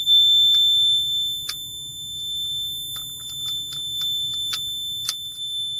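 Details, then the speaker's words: Combination CO/smoke detector after battery change, tested before reinstalling: steady nonstop high-pitched alarm tone with a few handling clicks, caused by one battery installed backwards. "I installed one of the batteries backwards, so let's try it again."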